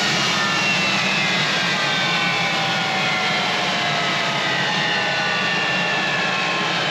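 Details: Collings Foundation jet's two J79 turbojet engines on a ground engine run after leak repairs: a steady roaring hiss with a constant whine and no surging or popping, both idling evenly after a successful run.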